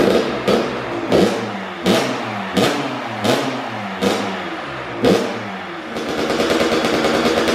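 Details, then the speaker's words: First-ever start of a brand-new Kawasaki KX112 after fitting a Pro Circuit pipe, R-304 silencer, Boyesen RAD valve, VHM high-compression head and rejetting. Several kick-start strokes, then it fires and holds a crisp, even crackle with no misfire; it started within a few kicks. "Dang, that's perfect. Holy mackerel. Second kick, third kick, whatever. That thing was started right up."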